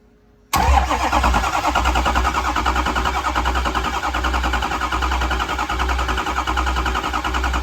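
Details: Ford 6.0 Power Stroke diesel: starter churns the engine at an even, steady beat for seconds but it never fires; crank-no-start, cause unknown.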